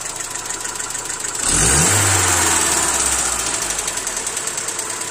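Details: Hyundai Accent SOHC 12-valve petrol engine idling with a steady light top-end tick, about three or four a second; lifter or tappet noise is suspected, not confirmed.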